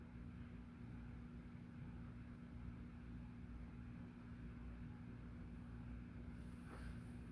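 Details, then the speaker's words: Hunter "The Original" 42-inch white ceiling fan, model 23827, 3-speed, tested on capacitor rig with amp meter; very faint steady low hum, no ticking, rubbing or wobble; judged almost silent, normal running. "Very interesting. Very slight hum from it. Yeah, that's like almost silent."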